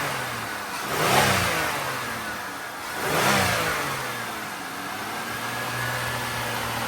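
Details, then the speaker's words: GM Dexcool engine, after repair without a head gasket job: two clean throttle blips settle to a smooth, even idle with no stumble or misfire. Exhaust sounds healthy; coolant still to be purged and rechecked once heat-soaked. "I think she's good. Tailpipe sounds good. It's got no misfire. I think this is a home run."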